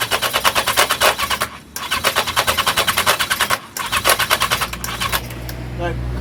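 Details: 1982 Yamaha XJ750, cold, with filters fitted, not even coughing on starting fluid: a fast metallic clatter pulsing about eight times a second while cranking without firing; owner attributes the rattle to the starter clutch.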